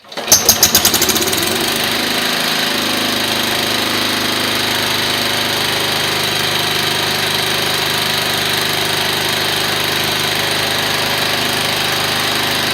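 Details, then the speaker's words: Briggs & Stratton 12 engine, newly mounted in a frame build with a temporary exhaust: catches after a few cranking pulses, then runs steady, loud and buzzy with harsh exhaust crackle and no knocks. Normal running. "all right so there you are it is running it's not as quiet as what it says I see quiet doesn't sound right"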